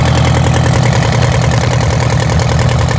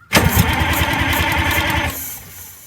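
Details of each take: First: Detroit Diesel 8V92TA two-stroke in a Wanderlodge RV: loud, lumpy idle where one cylinder keeps dropping out. The misfire is from a bad injector and scored, cracked cylinder liners; the engine was also smoking. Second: Detroit Diesel 8V92TA in Wanderlodge RV, compression test on rear cylinder with failed injector: strong evenly spaced compression pulses while cranking, about 400 reading; good compression, though oil control rings suspected worn.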